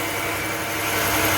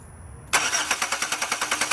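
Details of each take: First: 2006 Chevy Impala LS running after the torn wires are pushed together by hand. Smooth, even idle with a steady hum and no misses or knocks. It stops as soon as the wires are released. Normal idle. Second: 2006 Chevy Impala LS with a no-start and no power to the starter. Turning the key gives rapid chattering clicks, about eight a second, with no real crank. Cause is a torn-up ground wire from the battery to the engine.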